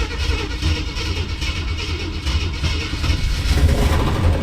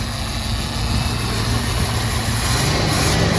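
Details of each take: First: 1966 Ford Thunderbird that sat for years, after oil change to 20W-50 with oil pressure coming up: fast light ticking over a lumpy V8 idle that doesn't fade; lifter tick persists. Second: 1966 Ford Thunderbird, sat for years, started on a jump pack: big V8 fires right up and settles into a steady even idle with smooth low rumble, no knocks or misses; normal idle.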